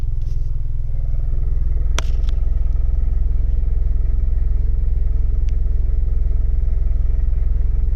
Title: 2018 2.0 turbo Camaro / Can anyone help me diagnose this rattling sound